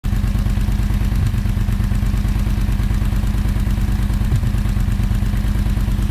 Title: YAMAHA VMAX 1200 RATTLE NOISE